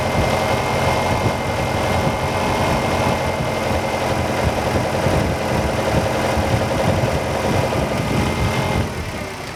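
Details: Car with a newly replaced hydraulic pump (BVH model) at idle after bleeding, fluid now clear, regulator valve shut: even busy pump chatter over the idle, settling toward the end; pump building pressure normally.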